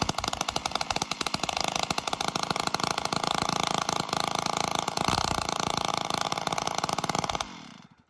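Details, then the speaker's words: Stihl 056 AV Super chainsaw after strip-down, no muffler, running on choke: fast crisp two-stroke crackle at high revs, steady with no clank, only faint plasticky rattle thought to be the starter; normal running. "i don't think it's doing it there's a slight uh slight plasticky rattle but i believe that's the starter so uh that's good"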